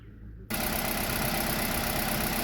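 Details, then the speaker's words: Kia Rio G4LC engine after rebuild, exhaust manifold retightened after first start showed no oil pressure: smooth, even, quiet idle with no knocks or ticks, no warning lights; sounds healthy. "just listen to that just listen to that quiet nice"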